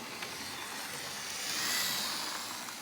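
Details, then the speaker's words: Lima Class 37 O gauge diesel locomotive on test after a cutting-out problem blamed on the points: steady, even high-pitched motor whir with no dropouts, running smoothly. "yeah that is running nicely now"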